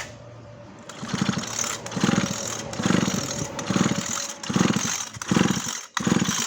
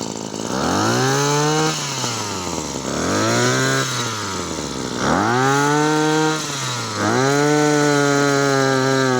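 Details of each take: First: Maruyama CBC20 brush cutter pulled over with the spark plug out: a lumpy, uneven chuffing surge about once a second with heavy vibration. Crankshaft bearing suspected; the carb had been swapped for a Big Dint. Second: Maruyama CBC20 two-stroke brush cutter after rebuild with new crankshaft bearings, rod in good condition, tested without the clutch fitted: four clean throttle blips, pitch rising and falling evenly with no stumbling or rattles; healthy revving.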